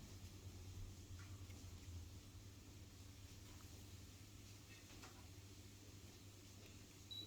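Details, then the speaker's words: 52-inch thrift-store ceiling fan on its low speed setting: quiet, even low hum with a soft steady whoosh and no ticking or wobble. Turns smoothly. "Just gonna fire it up again, why not? That's low."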